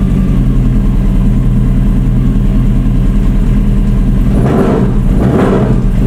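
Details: Honda Hornet motorcycle project bike at first start-up in neutral: uneven, lumpy idle, stumbling and missing every so often, smoke clearing from the exhaust; misfire and rough idle, owner suspects the idle adjustment needs tweaking.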